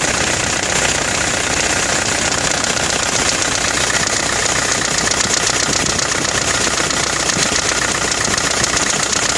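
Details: Nissan Navara D22 truck engine idling with a steady, fairly even knock over a bright clatter in the first 20 seconds; owner wonders whether timing chain or big-end bearing failure, unconfirmed.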